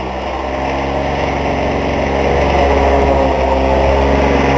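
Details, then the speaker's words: Lawn-Boy two-stroke mower after full carb rebuild, reed and gasket replacement, on 32:1 mix with 89 gasoline; loud steady running with fast regular tapping underneath, owner suspects rod knock despite tightening everything, unconfirmed. "see if the sound that I'm hearing is a rod knocking because I've went over this entire thing and tightened it"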